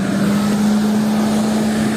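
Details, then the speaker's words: Car radiator fan after rebalancing and lubricating the fan motor to cure squealing and metal rubbing: smooth, steady mid-pitched hum with no wobble, scraping or rubbing; normal fan operation. "gibi balans Balas sorunu kalmadı sürtme de yok gayet düzgün şekilde dönüyor gördüğünüz gibi"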